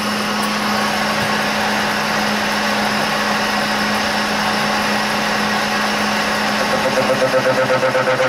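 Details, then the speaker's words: Burke horizontal mill cutting a stub arbor, taking 10 thousandths per pass with spindle speed pulled down: even, steady hum with a constant mid tone and no chatter or squeal; smooth, healthy cut. "I'm going to try 10/1000ths this time. I'm going to pull that speed down a little. That sounds a little better."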